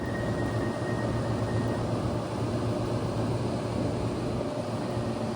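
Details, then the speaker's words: Unit two of two 1979 Friedrich Power Miser 5,200 BTU room air conditioners, fan on high with the compressor jumped out. A smooth, even rush of air over a low steady hum with no rubbing or ticking; this fan runs clean. "This one, the fan does not rub, so you guys should be able to hear it better. Let's just uh do high fan first so you could hear."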